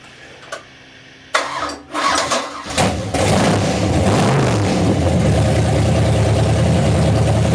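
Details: Freshly rebuilt 1992 Mercruiser 502 marine V8 (465 HP) on an engine run stand, with a rebuilt starter and a Holley 800 CFM marine carb: a brief crank, then a deep, steady, even rumble. A healthy start.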